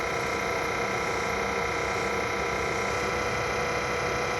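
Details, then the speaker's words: Tesla air-conditioning compressor, located under the battery and coolant reservoir between windshield and front, running on low: steady electric whine with a rough grainy rattle underneath. Still cooling; worn compressor bearings are suspected, and replacement is likely needed. "my suspicion is it's the bearings in the compressor that are on the way out and you don't want them to fail right now"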